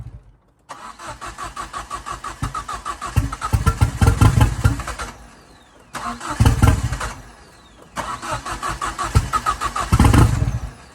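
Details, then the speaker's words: Ford Fiesta RS Turbo first start in over four years after restoration, with a manifold not yet tightened and a loosely hung downpipe: cranks, catches quickly and takes three throttle blips cleanly, settling between them, running healthily. "so yeah as you can hear the car is running I am beaming that's go over four years since this car has run"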